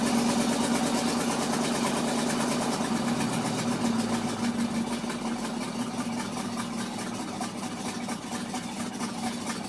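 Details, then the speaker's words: Ford F-600 carbureted engine at idle, still cold, after welding repair of the exhaust pipe: faint rhythmic puffing tick on the exhaust note, a small leak remaining at the patched pipe, described as nothing bad. "still here a little bit of a leak from it right there nothing bad"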